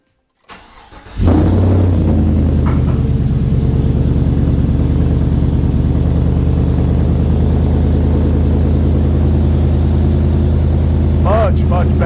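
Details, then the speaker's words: 2018 Chevrolet Silverado V8 with full exhaust, no catalytic converters, after HP Tuners tune fixing O2 sensor issue, cold start at about 23–24°F: short crank, then smooth even loud idle, steady rumble, no stumble. Normal cold start idle. "So without further ado, let's see what a cold start now sounds like tuned properly."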